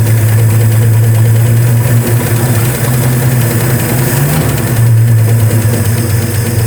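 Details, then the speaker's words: 1967 Ford F-100, 240 inline-six with 3-on-the-tree, just started, timing not yet checked: loud low idle, mostly steady with an occasional stumbling beat, slight miss suspected; rough idle. "but it really is running pretty smooth. I think we've got a little mist to it still."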